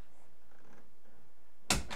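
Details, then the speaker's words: Bathroom door after replacing rusty squeaky hinges with new squeak-proof hinges: swings in near silence with no squeak, ending in a single soft thud; quiet door swing, no hinge squeak. "well I fixed it and it's much better than that"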